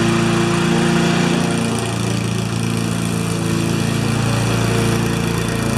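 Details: Normal running under load on a Briggs & Stratton single-cylinder mower with a Pulsa Prime carburettor, which had a flooding carb and diaphragm issue. During a test cut the drone is steady and even, holding speed with no misses or surging.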